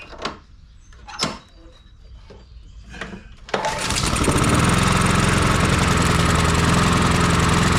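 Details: Honda HRR216 push mower after rebuild, started on choke: a few pulls, then fires and holds a steady, even, regular drone; normal running.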